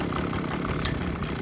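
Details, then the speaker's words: Stihl BG86 leaf blower running with a harsh metallic rattle over the engine buzz, from three loose Torx bolts whose heads strike the flywheel; the fix is tightening them. "now there's three torx bolts here that come loose and the heads hit on the fly well as it's spinning around so we just need to tighten them back up"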